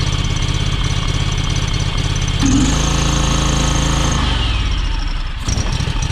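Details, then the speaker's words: John Deere X585 twin, hours unknown (787 or 1787, dash busted), after fuel filter change and priming: uneven, lumpy low-speed beat with brief rev; still rough, owner suspects valves need adjusting. "Alright, so that didn't help it. So I'm guessing we need to adjust the valves before we go any farther."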